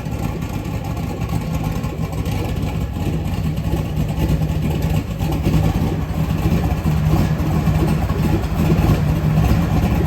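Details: LS V8 on an engine run stand, fuel lines built on the stand: deep, steady rumble at idle with slight lope and even firing, no ticks or knocks; engine runs good.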